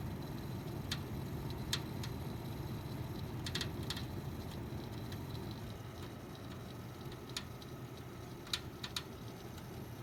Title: Pc making weird crackling sound